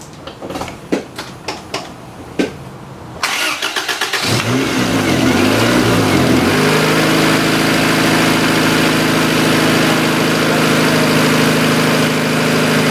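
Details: 1990 Honda CRX DX cranks, then holds a steady, too-high fast idle that never drops; owner suspects a vacuum leak, with hissing traced near the brake booster during a smoke test; also poor gas mileage.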